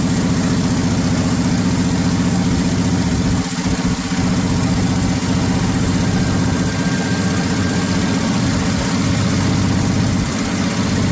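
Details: 1979 Ford F150 shortbed 4x4, 300 straight six with new carburetor, started after sitting 4 years: rough uneven idle with a loose puffing chuff over the low rumble; owner says it clearly has an exhaust leak somewhere.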